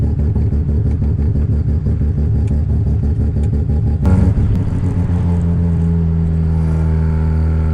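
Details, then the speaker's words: Budget home-built 13B rotary on its first test drive: it drones and stumbles under load, flattening out instead of revving; running lean, the carburetor starving for fuel with the tank gauge on E; a Holley fuel pump was fitted afterwards. "I can just feel um instantly that the um carburetor is fully starving for fuel um so it's possible that the tanks really really empty"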